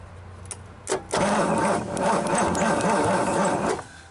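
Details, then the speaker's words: 1963 Pontiac 389 V8, first start attempt after cleaning corroded points: starter turns engine slowly with about four labored compression pulses per second, no firing; slow cranking from weak borrowed Honda battery, jump box to follow. "now the battery's not rolling over very fast it's a little better out of a Honda but I've got a jump box up there I'm gonna grab"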